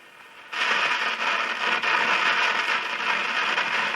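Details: AWA Radiola Champion valve radio (circa 1950–52) on the bench after output valve and output transformer replacement, test speaker: switches on into loud hiss with irregular crackles and pops; crackling interference, antenna signal lost.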